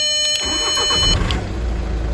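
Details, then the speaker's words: Audi A3 (about 2007, per the mechanic) with a no-crank fault, starter fed direct power during diagnosis: brief starter whirr, then the diesel fires and drops into an even, steady idle; starter motor works, but no power reaches its signal wire. "ضربة مارش وضارب."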